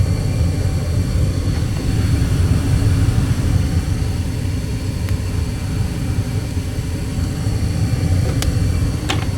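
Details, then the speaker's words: Gas furnace after gas valve replacement, 24.6 V reaching the valve: steady, even low burner roar with no rumble, surging or clicking; first start hesitated, likely from air in the gas line, and it now runs normally. "But it's perfectly fine and normal."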